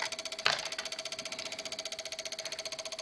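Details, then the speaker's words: Microsol NG2 voltage stabilizer, 110–220 V input, 110 V output: rapid steady relay chatter, about a dozen dry clicks a second over faint hum, output oscillating around 100–110 V; faulty relay and bulging capacitor found. "E aí fica com esse barulho aí estranho, meio chato, podendo até queimar a nossa carga, né?"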